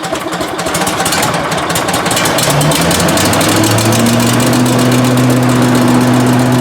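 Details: 18 hp Briggs & Stratton Vanguard on a Giant Vac leaf vacuum, stored four years and non-starting: engine catches, picks up speed and settles into a smooth, even run with no misfires.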